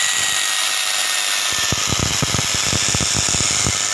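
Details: Small universal motor run on 220 V through a salt-water resistance, high speed: harsh scream with crackling buzz and low rasps; heavy commutator sparking, after which a broken armature wire was found and rejoined.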